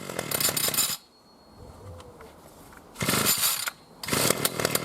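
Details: New B&Q 25cc petrol two-stroke strimmer at first start after 3–4 primer pumps, getting fuel through: short rev bursts dropping back to a quiet, even idle, running smoother. Normal running.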